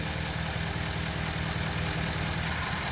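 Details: 2011 Ford F-350 6.7 Powerstroke diesel after fixing a pinched CCV hose that pressurized the crankcase and caused heavy oil burning: steady even idle with light regular clatter, no hunting; crankcase no longer pressurized; normal idle.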